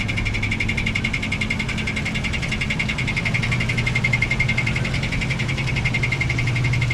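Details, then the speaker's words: Toyota Tacoma with a cracked flexplate, suspected from prior dealership transmission work: quick, even, light sharp ticking about four per second over the engine hum, intermittent at first and growing louder; not rod knock. "Over time, though, the ticking got louder, and fast forward to about a month or two ago, when we were really firing up the truck and whatnot, the ticking was significantly louder."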